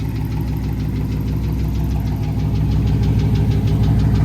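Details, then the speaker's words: Race car restarted after hot lapping, flame shots and a sudden shutdown on track, owner fears it shut off too late: sharp regular knock about three times a second over a rough idle, cause not confirmed. "so guys if you listen really really really close you can hear the tick so there is a knock"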